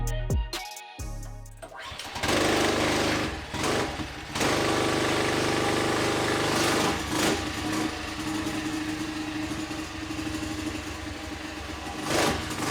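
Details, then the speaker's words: Freshly built Tillotson 236R kart engine on the dyno for running in on break-in oil. It catches after a couple of seconds, then runs evenly as the revs rise and fall at quarter to half throttle; the rings appear bedded in. "So, another session on the um running an oil going up and down the revs with about a quarter throttle, half air throttle."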